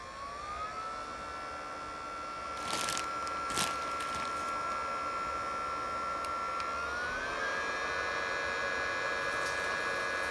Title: Biolite Campstove 2 fan making noise